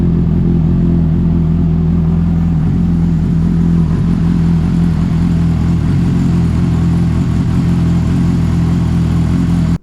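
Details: 2007 Honda CBR600RR after oil, oil filter and air filter change and a new battery, started in neutral after hard starting: strong, steady four-cylinder drone, smooth with no knocks or rattles, holding revs cleanly; normal running.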